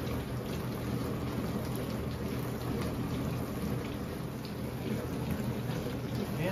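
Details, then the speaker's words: Whirlpool dishwasher after repair of no-spray fault (was running with an odd noise and not spraying), retested: steady hiss of water spraying in the tub with even pump hum; normal wash operation. "hook all our connections back up and test it out you hear that that's the sound of success"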